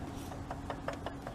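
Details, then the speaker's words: Car with 165,000 miles and a squeaking drive belt, belt removed, AC not working for a year: quiet rhythmic scraping tick about five times a second from the spinning AC compressor pulley; owner suspects a misaligned pulley. "That's the pulley on my AC compressor. Like I was saying in my last video, this belt is not very old. So that's why I'm thinking I could have a misaligned pulley somewhere."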